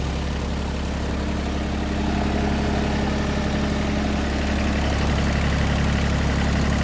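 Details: Massey Ferguson GC2300 compact tractor diesel, just after oil and filter change, oil pressure light going out immediately: steady, even clatter at constant low idle, no misses or knocks; normal idle.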